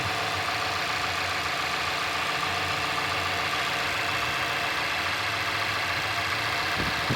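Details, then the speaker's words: 2017 Mazda 6, 2.5L Skyactiv inline-four, about 20,000 miles, just after cold start: steady, even fast idle with a light ticky top end, no knocks or stumbles, quieting down as it settles; normal. "And just start it up, you'll hear it quiet down."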